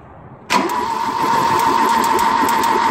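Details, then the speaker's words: Ford 2.0 Pinto SOHC in a Mk3 Capri, unstarted for about six months, oil priming with plugs out and rocker cover off: steady starter whir and light, even churn about three turns a second without compression, slowing slightly as full oil pressure builds. "so we've got oil pressure there you can sort of hear the engine turning over slows down a bit when you get full oil pressure"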